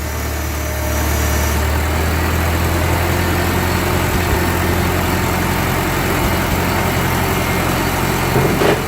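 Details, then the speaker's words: 1945 Ford 2N loader tractor running after topping up the hydraulic fluid, with the loader raised and lowered and responding instantly. Steady, even low idle hum with no knocks or misses; smooth running. "I put her up and down a couple more times. Yeah. Instant response. That's good."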